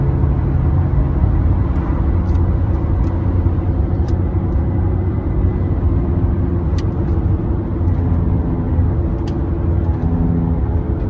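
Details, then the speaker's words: Caravan driving on the road: deep steady droning hum under road noise whose tone changes with speed, from a worn rear wheel bearing with no wobble; bearing then replaced. "This is the sound coming from the wheel bearings. I don't know if you can hear it. Here, I'll speed up, you'll hear the tone change."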